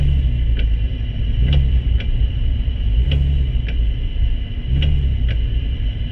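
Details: Porsche 996 Turbo with Tiptronic transmission (722.6, A9650): sharp clicks in tick-tock pairs about every one and a half seconds over a low steady car rumble.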